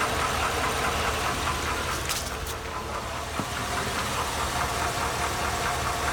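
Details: 2002 Chevy Avalanche 5.3L Vortec V8 on 5W-30 oil: a steady, light knock or tick roughly two to three times a second that gets louder as the engine warms and is worsening; owner unsure if lifters or rod knock.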